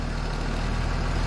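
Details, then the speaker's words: 2007 Blue Bird school bus with a Cummins diesel, just started after a defective starter relay was replaced to cure a no-crank no-start: steady, even, low diesel idle with no knocks or misses; normal idle. "So now let's crank it and see what happens. So right there, the bus just started. That's awesome."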